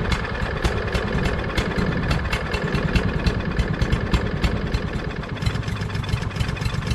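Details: Craftsman push mower with a Briggs & Stratton 550EX engine, stored all winter and freshly fuelled: popping unevenly at about three beats a second with a stumbling rhythm, running rough and not settling. A dirty carburetor is suspected, not confirmed.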